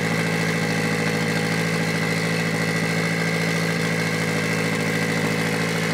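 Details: Mitsubishi Evo 8 4G63T with front-facing turbo kit, first start after owner's engine rebuild (pistons, crank, timing); high idle, throttle body adjusted; even settled idle with regular beat, no hunting or hiss: normal idle.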